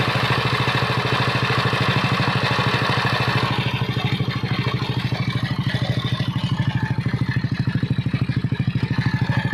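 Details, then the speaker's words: Yamaha NMAX version 1 scooter, very dirty with sand inside, oil present. Fast, even clatter of knocks and clicks at idle, the helicopter sound; crushed camshaft bearing with heavy play. "Pero ano ah lumalagutok. Ito yung tunog helicopter mga idol sa NMAX version 1."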